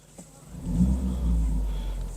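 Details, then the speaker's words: 2016 Ford Focus SE petrol engine after spark plug replacement for rough idle at park: starts, swells up and settles into a steady, even low rumble with no stumble; sounds good, though the fault may only show after driving. "all right so let's get into Focus here and uh see what we got baby oh yeah oh yeah sounds pretty good"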